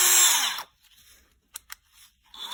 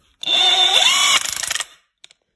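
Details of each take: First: Craftsman CMCF940 heavy impact wrench (built 2023) with its gearbox removed, motor run alone. Clean, steady high whine rising and falling smoothly, no grinding or rattle, so the gearbox is suspected; the fault was later traced to a displaced shaft bushing. Normal motor run. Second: 可以听到它高速转起来以后，里面那个冲击块发出这种金属碰撞的声音，怀疑它这个齿轮箱里面可能有问题，拆开检查一下。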